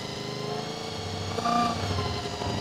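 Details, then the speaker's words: Honda VFR400 NC24 four-cylinder after stripping and cleaning blocked carburetors: idle swells in speed as each carb is adjusted during balancing, idle repeatedly turned down; idle rising during carb balancing. "As you can hear, as I'm turning the carburetors, throttle's going up, so it's actually defining it all. So I have to keep turning the idle down."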